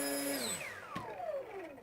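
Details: Brushless motor on a factory-set foam RC plane, run up after the speed controller's soft-start beeps: high, clean whine sweeping smoothly down in pitch with no rattle or stutter, enough power to pull the plane vertical; normal motor run.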